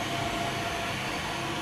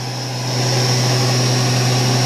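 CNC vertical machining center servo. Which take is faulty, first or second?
first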